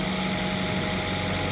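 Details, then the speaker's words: Car that had a misfire, fixed by swapping in a known-good spare cylinder head, cleaned and torqued down, which fixed the problem; cold day, heater fan hissing behind an even, steady idle hum with no stumble or skipped beats, idling smoothly. "Put the heater on blast because it's cold. Yeah, it runs really good."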